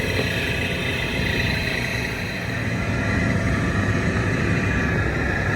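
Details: Swamp cooler motor and fan run after replacing the water pads, with a 5/16 screw added; outlet seen burnt; steady, even whir with low rumble and no knocks, grinding or squeal; normal running.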